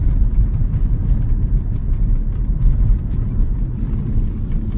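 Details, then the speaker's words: 2012-2020 Ford Focus 3 driven on rough road after replacing front right sway bar links that knocked over potholes: only steady road rumble, no knocks or clunks; quiet front suspension after repair. "Without a sound. No unnecessary movements. The car is stable."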